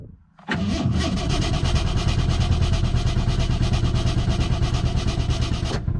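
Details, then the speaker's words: Ford (Bronco trail rig or 6.0 Powerstroke) that is getting harder to start and runs badly intermittently, fuel delivery suspected: after a silent pause it catches and runs rough and uneven, loping irregularly; hard starting. "doesn't seem to be working now like I said has been getting harder and harder to start and obviously it's always kind of run bad sometimes it'll run really good sometimes to go wrong really bad sometimes it doesn't run at all"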